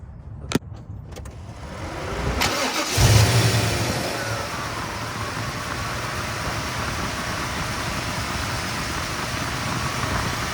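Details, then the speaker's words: 1995 Camaro Z28 after an AC delete with a compressor bypass pulley and readjusted belt: quick crank into an even, steady idle with no chirp or squeal. The earlier noise is gone, thought to be the belt pulley breaking in. "So it stopped making that sound. I think it was just the belt pulley breaking in. I don't hear it no more at all."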